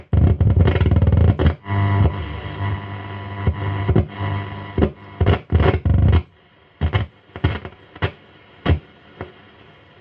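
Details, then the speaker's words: 1949 Stromberg Carlson 10A79 radiogram on check-over, with no proper antenna: hissy noisy hum broken by sharp irregular crackles and pops, several per second, then dropping out; crackling thought to come from the radio section, while the amp seems fine. "I think all the crackling and stuff before was coming out of the radio."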